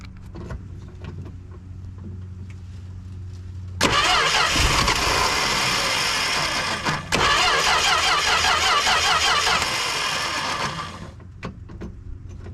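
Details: 1974 Plymouth Duster slant six with a 904 transmission, sitting since 1987, fed from a two-gallon can that bypasses the old tank: two bursts of steady starter cranking lasting several seconds each, with no firing.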